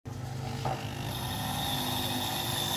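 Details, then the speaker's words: Household 850 gas booster pump after repair, with the dimmer speed control rewired and normal connections: steady, even buzzing hum with a faint high whine and no rattle. Pressure is much higher than before and the pump is fixed. "देखिए दोस्तों आप सुन रहे हैं कि आवाज नरेंद्र और बढ़ गया है है हैं यह देखिए दोस्तों यह प्रेशर पहले से बहुत ज्यादा हो गया है"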